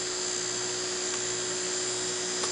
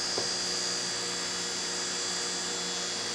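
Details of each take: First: Fischertechnik DC motor driven by a Raspberry Pi 1 Model B+ through a transistor with PWM, second motor under test: thin steady high whine holding one pitch; runs considerably slower than the other motor because the voltage across it is low. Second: Raspberry Pi driving a fischertechnik motor via transistor and PWM: small motor whirring with a steady high whine and faint electrical buzz, even and smooth; motor running normally.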